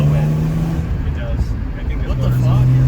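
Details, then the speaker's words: Supercharged BMW E46 330i, rebuilt engine, first test drive at 247,000 miles with new six-speed gearbox: strong, even engine drone rising under throttle, dipping at a shift and climbing again, no knocks or misses; healthy engine. "dude this motor is healthy man"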